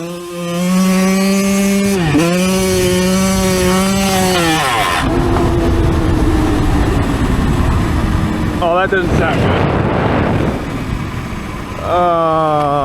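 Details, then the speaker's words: Yamaha YZ125 two-stroke, owned a couple of months, on trail: rising buzz cuts off abruptly into rough clattering, then a brief restart attempt. Sudden failure with no warning; engine seized solid and kickstarter won't move. Cause unknown. "What the hell was that? I blew it up."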